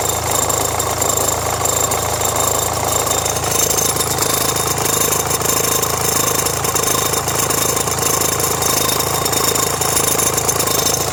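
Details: Renault Megane 1.5 dCi diesel at idle with radio, rear demister and blower on: an irregular metallic rattle about two per second. Belt and tensioner already replaced; the noise stops with the AC on. Owner suspects the alternator or AC compressor.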